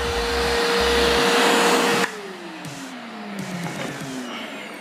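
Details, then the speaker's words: Multipro 3-in-1 vacuum cleaner, 650 W, 10 L tank, blower mode: loud steady whine with rushing airflow, then switch-off and smooth pitch fall as motor coasts down; strong airflow, healthy motor. "Tiup ini bisa untuk ngeringin ya. Untuk ngeringin karpet atau apa gitu ya, ini bisa jadi blower nih."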